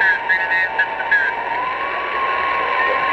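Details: HF receiver on 20 m near 14.300 MHz: a thin steady whine near 1 kHz with higher tones drifting over the hiss. The signal repeats every 29/58 kHz and drifts slowly up and down the band; it enters through the antenna, not the shack. Source unidentified.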